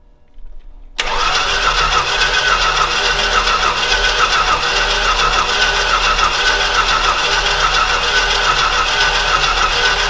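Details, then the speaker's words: Old Stewart & Stevenson aircraft tug, cooling fan removed, no water: steady fast cranking about three to four beats a second without catching; timing sounds right, likely short of fuel. "it's close it sounds like it's on time it just needs some fuel"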